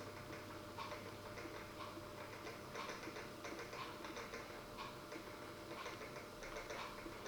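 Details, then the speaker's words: Dapol Class 09/08 O-gauge shunter at slow speed after greasing the main gear and running-in on a rolling road: faint soft ticking with a light gear whirr, even and not binding. Noise is slightly quieter and it runs and crawls well. "I don't think the noise is going to go completely away, but I think it's slightly quieter from listening to the two samples. But it definitely runs well, and it definitely crawls well."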